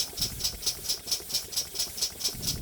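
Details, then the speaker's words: Small steam engine being run in, still tight; crisp, even metallic ticking about four times a second over a faint rumble. "So the idea of running this is I'm just going to let it run in. Still tight."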